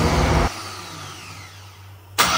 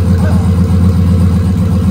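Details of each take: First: Gen 3 turbo LS engine on Holley Terminator X, project drag car: cranks then three or four loud pops before catching, backfire hiccup on startup caused by cam sensor moved back-to-front with outer two wires not flipped; fixed by swapping them. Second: Gen 3 turbo LS V8 with Holley Terminator X in a no-prep race car, first start after rebuild: loud, deep, steady V8 burble with an even lumpy beat, no knocks or ticks; runs cleanly, oil pressure good, though ECU shows no crank signal.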